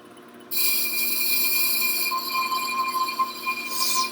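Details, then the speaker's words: Shop brake lathe, cutting head turned clockwise onto the spinning rotor: sudden steady metallic hiss and scrape with a thin ringing tone as the bit makes contact, a normal cut. "okay so we can hear it making contact i'm gonna back this off now"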